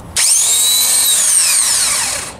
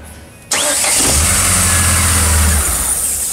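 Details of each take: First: Chevrolet Blazer starter motor, mounted under the manifold: high drill-like whine spinning up and fading with no cranking beat, engine won't start; starter spinning freely due to stripped reduction gears. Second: Chevrolet Blazer that came in with a starter motor problem and would not start; after the starter motor was opened and bench-tested on a battery: a brief whirring crank, then the engine catches and runs steadily, starter engaging cleanly.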